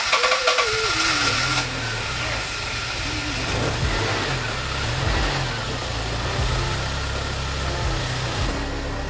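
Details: BMW E30 first start after 8 years of storage, following days of fixing wiring, ECU, fuel pump and spark faults; catches after cranking, settles to somewhat uneven but steady idle. Normal start and idle.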